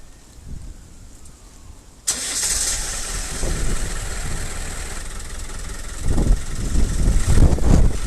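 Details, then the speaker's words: Land Rover Defender 90 started after standing for 7 years and a week of work: the engine catches after a short crank and settles into a steady, even idle with no misses or knocks; normal start and idle. "It's been standing 7 years, mind. And let's start him up now. Yeah, once it started once, it's right then."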